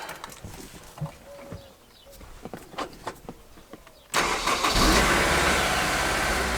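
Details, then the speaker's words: Honda S2000 after new radiator, upper hose and coolant, while bleeding the cooling system: engine fires at once and settles into a smooth, steady idle with no misses or odd noises, no leaks, waiting for thermostat to open and fan to kick on. "So far so good, no leaks. Just waiting on the thermostat to open up and the fan to kick on."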